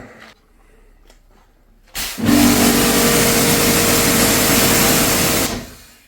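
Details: Kärcher K7.650 pressure washer after replacing its failed 40 µF 450 V motor capacitor (old measured 5 µF) that left it humming without starting: motor starts cleanly, runs with an even steady whine three seconds, then stops.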